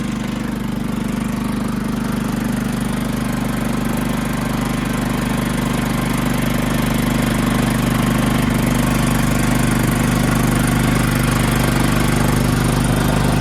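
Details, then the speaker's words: John Deere LT160 riding, rebuilt Kohler Command engine with 16 hp block, 15 hp crankshaft and rod, cleaned fuel pump, after three carburetors and two fuel filters; steady even single-cylinder thump, no misses, surging or knocks; normal running. "yeah riding around my John Deere LT1 60 with a rebuilt colar engine 16 horsepower block the 15 horsepower crankshaft and connecting rod cleaned out the fuel pump change three carburetors and two fuel filters"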